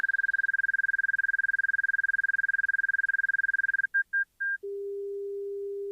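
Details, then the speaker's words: Light aircraft in a power-loss turnback demo at idle power with 40° flaps and a 45° bank: rapid high beeping about four a second, then a steady lower tone. This is the angle-of-attack stall warning, meaning the aircraft is very close to the stall. "But keep in mind that when I hear that stall warning right now, I am this close to the stall."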